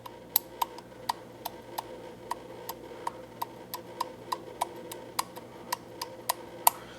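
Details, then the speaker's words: 1977 Porsche 911 Turbo with a supposedly fully rebuilt ignition distributor, turned by hand: sharp light ticks about three a second. The reluctor is hanging up and hitting, apparently bent downward. Distributor reluctor rubbing. "It's kind of just kind of hanging up right in there, and I think it's maybe bent downward. So I'll massage that in a little bit. Yeah, see, it's hitting."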